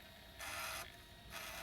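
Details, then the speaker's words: PS1 after laser potentiometer lowered from about 616–626 to 496: two short whirring bursts of normal disc seek and read, no clicking anymore (clicking meant weak laser). "that's a normal sound there it's going around the disc and getting into certain spots and then it's loading it into the ram"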